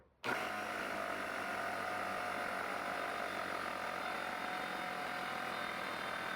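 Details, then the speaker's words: Trash-picked air compressor after regulator rebuild, motor running while the tank fills with a thin constant hiss of air escaping from a loose regulator back nut; snugging the nut fixed it, cut-off at 150 psi. "I've got a leak somewhere. Not sure where. I I can hear it. There we go. Just didn't have that back nut snug enough."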